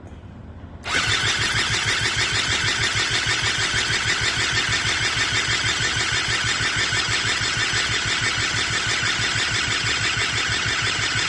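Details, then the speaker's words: Eaton Beamer III scooter during rebuild, choke on, ignition coil lead suspected damaged: fast, even cranking pulses that never fire; owner suspects a bad ignition cord connection needing replacement. "okay well you know what I have to be honest with you guys there is something seriously wrong with this um um uh ignition cord here"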